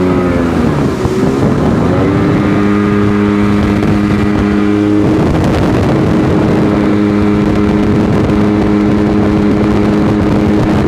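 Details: Sea-Doo GTX DI two-stroke on water run after bad air injector replaced, water temp 52–58°: steady wide-open-throttle drone levels off, flat on top end; tach shows only 6,200 rpm, cause unresolved.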